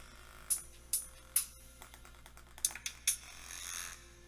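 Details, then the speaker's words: 2017 MacBook Pro 15" A1707 playing bass-heavy music: the built-in speaker buzzes and rattles harshly on the beat; customer thought something was vibrating inside, but it is a blown speaker needing replacement. "and that's not the actual um song itself that is the speaker in there um the customer actually thinks there's like something vibrating in there and that's not the case this is actually just a bad speaker that we need to do a replacement for"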